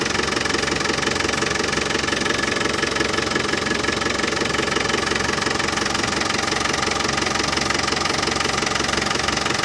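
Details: Land Rover Defender 200Tdi diesel idling after new power steering pump fitted, during fluid top-up and bleeding: even clatter about three beats a second, no pump rattle; new pump cured it.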